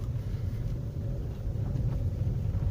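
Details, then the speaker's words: Opel Mokka driven over the same potholes and bumps after replacing the front stabilizer links on both sides to cure a suspension knock: steady low road rumble with no knocks or clunks from the front end; suspension quiet and tight, repair successful. "все нет ни единого не единой единого калашка те же яма те же кочки все то же самое"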